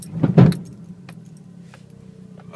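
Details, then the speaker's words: MR2 Turbo: one heavy low thump as the car takes up drive while backing up, then steady idle; engine rocking on its mounts suspected, new engine mounts ordered. Cause unconfirmed. "that is the knock on talking about i don't like it one bit I've ordered some new engine mounts"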